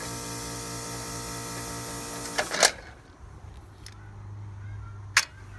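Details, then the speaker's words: Trane AC outdoor unit, house blowing warm air; steady compressor hum with no fan air, a couple of clicks; outdoor condenser fan motor failed, motor stiff, motor replaced. "no fan so we know what that points us towards let's open it up see what's happening"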